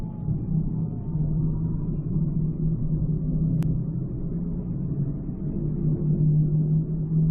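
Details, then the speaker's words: 2006 Ford Escape Hybrid while cruising: steady low drone under road noise persists after wheel bearing swap, so not the bearing; owner suspects possibly a carrier bearing. "guess what it ain't gone nowhere i still have it hear it so it definitely wasn't a wheel bearing nothing changed"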